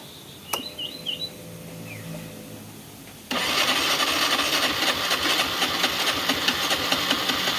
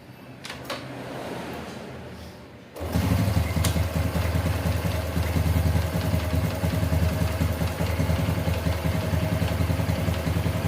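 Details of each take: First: Honda Revo Fit fuel-injected motorcycle, kick-started: it cranks and sputters harshly and only fires with wide-open throttle; compression feels very light, and the mechanic suspects leaking compression. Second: Honda Revo Fit FI single-cylinder motorcycle after an ECU reset for hard starting: a kick-start that catches after a few seconds and settles into a steady, even idle with no knocks or rattles.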